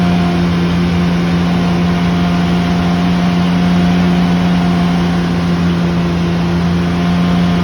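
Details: Loud, steady drone with a strong low hum and rough, uneven pulsing over the engine sound. An abnormal loud noise whose source is not yet identified.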